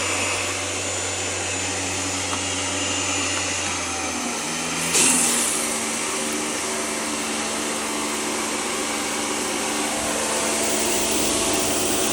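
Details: Karcher pressure washer after replacing the leaking component; steady high motor whine with even spray hiss, no surging or pulsing, holding full pressure; normal running after repair.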